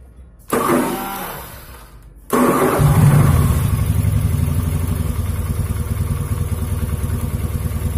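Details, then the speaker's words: Honda Beat scooter lacking power and misfiring, after fitting new NGK spark plug (old spark red, not blue): short starter whirr, catches instantly, steady slightly coarse idle. "kasar ya tipe lama langsung nyala enak tapi ya itu tadi suaranya lumayan kasar ya hehehe biasa Beat karbu"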